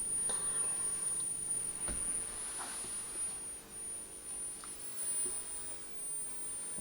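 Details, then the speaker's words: Murphy Type 350 television, cold start at first power-up: thin, steady, very high-pitched line output transformer whine with about 10,000 volts HT, line stage working but no vertical output (frame collapse). "okay so we've got 10 000 volts of ht at the moment so that's a sign and i can now hear the line output transformer"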